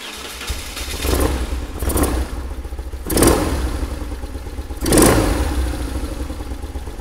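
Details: BMW R1100RS flat-twin motorcycle with rough running and stalling, after throttle position sensor adjustment: fires up, takes several quick throttle blips, drops back to a fairly steady low idle without stumbling; normal running after repair.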